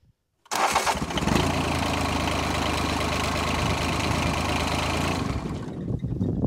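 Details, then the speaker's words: John Deere 755 compact tractor diesel, after fixing a fuel leak and bleeding air from the fuel line: fires with almost no cranking, where it once needed more, then a steady, even clatter. A normal diesel start. "i still had air in this line i had to crack that one and bleed that one again but once i got that one blood back out or the air out of it it sounds better and listen to how how fast she fires off now listen to how fast this goes"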